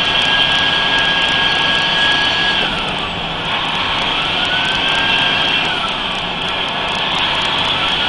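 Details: Mercedes-Benz 3340 diesel truck, turbo failure test: loud high-pitched whistle over the engine, rising and falling with revs. Noisy turbocharger, cause unclear.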